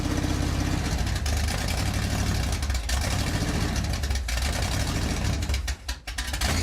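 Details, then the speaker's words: Freshly rebuilt Pontiac 400 for a 1979 Trans Am, on an engine stand during cam break-in in cold weather: loud lumpy V8 idle stumbling, nearly stalling; carburetor sucking in air, one side flooded with fuel; rough idle from carburetor air leak. "That thing was sucking air in like you would not believe. Wow. What the hell happened to our carburetor?"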